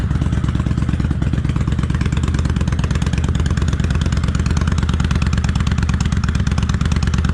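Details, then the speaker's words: Kawasaki Vulcan 800 Classic V-twin on light choke, warming up on a chilly day of about 51°F, after an accelerator pump fix and oil change. Even, steady low thumping at a fast idle with no knocks, misses or rattles; a normal idle. "I don't know how well the microphone can pick this up, but it sounds good. Let's sit here and warm up just a little."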